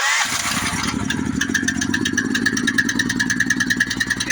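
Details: Honda GX-series engine after the faulty low-oil sensor wire was disconnected, with oil confirmed full: catches after a short crank and settles into a steady, even single-cylinder chug. Now starting and running normally.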